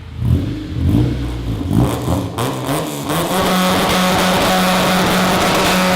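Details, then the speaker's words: K24-swapped Honda Civic with 3-to-4-inch exit: very loud raspy revving, then engine holds flat against the limiter with an even buzz; two-step launch control mode, working as set up. "oh my God that is so loud oh my ears so oh the smoke alarm there's a little twostep mode"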